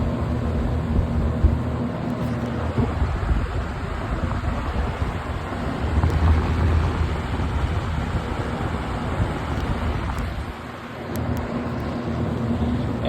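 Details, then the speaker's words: Roughly 30-year-old 20-inch Kmart box fan, auction find, on high: steady even rush of air with low hum, no ticking, rubbing or rattle; running healthy. "too medium wow that is a jump it's running pretty good too and high"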